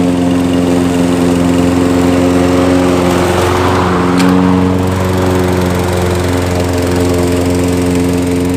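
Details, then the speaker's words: Nearly new Toro mower with electric start, found discarded, on ethanol-free fuel with Sea Foam and a newly installed air filter. Its small single cylinder holds a smooth, even buzz at steady speed, no surging or misses. Normal running. "i'm happy when things work out got a free mower and it starts and the electric start works as well"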